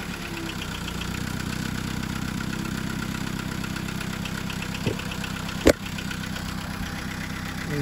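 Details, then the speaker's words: 2005 SEAT Ibiza 1.4 petrol idles evenly, with a steady low hum and no stumble or judder, back on four cylinders after replacing the coil pack that caused the judder and the P0301 cylinder 1 misfire code. "straight away really smooth now definitely back on four cylinders"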